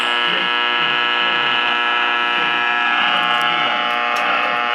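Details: 1946 Val-Keen/Detrola model 572 six-tube radio with power transformer, after capacitor and resistor replacement: steady harsh buzz throughout, no program audible; strong interference buzz, suspected power-line interference, not confirmed.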